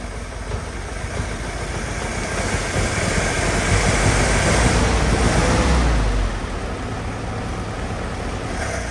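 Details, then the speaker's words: Old Willys Jeep that has been sitting, just revived, idling as Marvel Mystery Oil is added. Uneven idle that stumbles and surges while it tries to clear out, then settles somewhat; rough idle. The owner hopes to fix it without pulling the carb apart. "well she's kind of wanting to clear out a little bit there so we're going to keep on keeping on and seeing if we can't get this to out a little bit without having to pull the carb apart"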